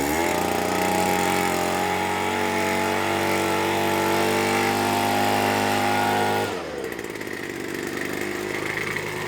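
Smooth, even high-pitched buzz held steady at full throttle, then a clean drop to a lower steady speed; running normally.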